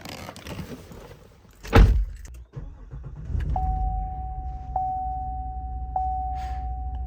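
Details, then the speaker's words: 2015 Cadillac Escalade starting right after battery replacement: key jingle, engine catches at once and settles to a steady idle while a door chime repeats; normal engine start. "Starts right up as it should."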